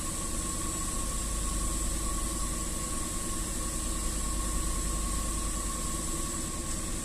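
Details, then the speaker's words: Range Rover 4.2 supercharged V8 that shook and misfired cold (low compression on cylinders 7 and 8, supercharger knock), cold start after repair work: steady, even idle, smooth low hum, all eight cylinders firing cleanly with no misses or ticking. "значится все 8 цилиндров запускаем пока по нулям работает ровно"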